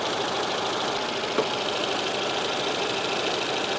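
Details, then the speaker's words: Rover 216i cabriolet, 1.6 Honda DOHC petrol, idling after cambelt, water pump, oil and coolant change, warming up with gauge reading high: steady even idle, no knocks or surging, smooth; seems to run better than before; normal idle. "it's almost feels like it's running better than before but unless the timing wasn't spot on before it doesn't really make sense but it really it's really smooth and uh and nice"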